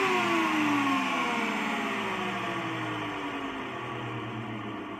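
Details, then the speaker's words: AEG Lavatherm 56800 tumble dryer whose motor turned only one direction, after removing a PCB relay: motor whirs smoothly with an even hum and gently sliding pitch, no knocks or grinding; running normally. "so now it's working seems like it's working"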